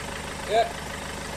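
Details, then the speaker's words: Peugeot 406 2.2 HDi diesel at idle, undertray off: short high chirps about a second apart from the alternator's clutch pulley. "that's my alternator listen to my father oh yeah I'd send a little chirping sound here is actually the clutch on the end of the alternator"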